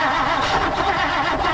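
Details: 1959 Plymouth Savoy shown getting spark and fuel, repeatedly flooded, cranked without choke on an aftermarket carburetor the owner suspects: steady starter churning for about two seconds with no firing. Cranks but won't start, cause unconfirmed.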